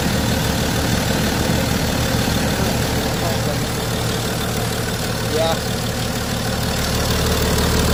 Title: BMW 535d xdrive. First start after replacing failed HPFP, injectors, LPFP and rail sensor+ regulator